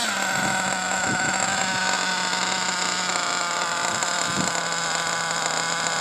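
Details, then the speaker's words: Pico P3 small engine during break-in, untuned, with a 16 pinion; it holds a steady, fast buzzing idle with no dips, sitting a little high and running pretty rich, still needing a carb tune. "idling kind of high, but like I said, the idle's a little high, which I don't care about right now, and it's pretty rich."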